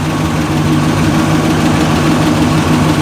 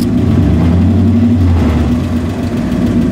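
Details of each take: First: 1986 GMC K5 Jimmy V8 with about 95K on the odometer and a rebuilt 700R4, idling with good oil pressure and temperature: steady rumble with a faint light tick riding over it; source of the tick not stated. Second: 1986 GMC K5 Jimmy V8 (Chevy Blazer twin), rebuilt 700R4 transmission, odometer 95K: starts right up, good oil pressure and temperature, recently towed 4,000 lb boat trailer without overheating; steady deep idle with slight old-engine chatter, healthy.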